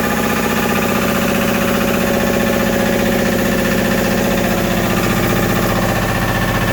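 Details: Westerbeke W13 4.4 kW diesel generator after replacing glow plug solenoid (high-resistance contacts) and cleaning terminals, previously hard starting intermittently; steady, even beat about two per second with no misses or knocks; normal running.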